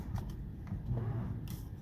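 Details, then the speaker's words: Newly fitted electric power steering on Project 2Dr IV, engine not running, assist turned down: quiet hum, then a sharp single click as the assist cuts out with no motor whir after. Normal switch-off. "And then of course, if we turn it down, you can actually hear it click off. Wait for it."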